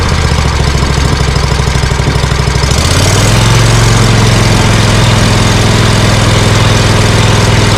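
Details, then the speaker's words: Scag Cheetah mower with Briggs & Stratton Intek V-twin, one-cylinder misfire fixed with a cheap Amazon carburetor replacing 791230: loping low idle, then throttled up into a steady, even drone with no misses; running fine. "Well, I think I'm going to go out for a test run and see how this does, because that doesn't sound too bad. But I have a better idea. At least I got rid of that, you know, that horrible misfire and the poop I was getting."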